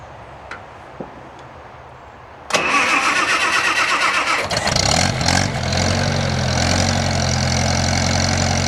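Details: 1978 International Harvester Cub tractor with key start, recently acquired: short crank, catches quickly and settles into a steady, even idle with no knocks or misses; runs well, no smoke.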